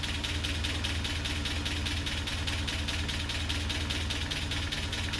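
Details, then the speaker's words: Land Rover Series 3 four-cylinder, warm at idle after a head gasket replacement (cylinder 4 compression now 10.5); a light, steady tick about two per second rides over it and has improved; owner unsure if it is normal. "I don't know, maybe you can tell me what you think about that noise. It's actually got a little bit better. I don't know if that's normal or not, I can't remember."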